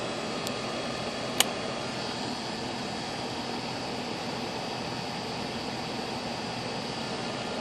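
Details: Goodman outdoor AC unit running after a blown capacitor was replaced: steady, even condenser fan whoosh over compressor hum, no buzzing or cycling; runs normally, though the system was later found overcharged with zero superheat.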